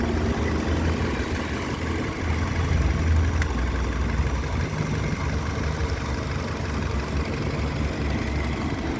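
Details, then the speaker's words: 2005 Nissan Altima 4-cylinder with electronic throttle body, after a successful throttle relearn fixed a start-up idle surging between 2000 and 3000 rpm: low, steady, even idle with no stumble, hunting or knocks, and no check-engine light; normal idle. "الحمد لله شغالة مظبوط. ما في مشاكل الحمد لله."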